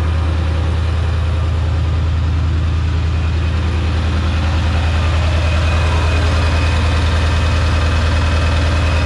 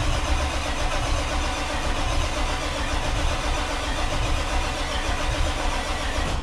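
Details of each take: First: Diesel truck just after its first start following a Stage 1 build, on high idle to warm up before a drive: steady, deep, even clatter around 200 beats a minute with no misses or knocks. A healthy fast idle. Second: Diesel truck at its first start attempt after a Stage 1 build with many new parts: a long cranking drone with uneven catching that never runs. Fuel pressure holds at 55 with no leaks, and the expected cause is air still in the fuel system.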